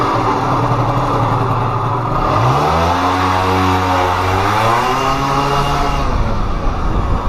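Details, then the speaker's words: Pulse Force 50cc two-stroke on a speed run after warming up: buzz climbs, holds briefly, then sags and fades instead of pulling on; engine cutting out at speed, owner suspects fuel starvation. "you'll see the camera footage there guys it's definitely it's definitely starving of fuel at some point"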